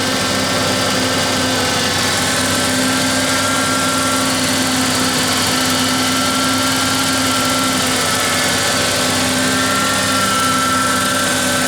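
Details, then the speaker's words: 1988 Ford Ranger 2.9L V6 after manifold pressure sensor replacement and new idle air control valve, still warming: smooth even idle, steady pitch, no misses or knocks; normal warm idle. "once it warms back up it will run it right at 800 what if read the thicker uh yes 800"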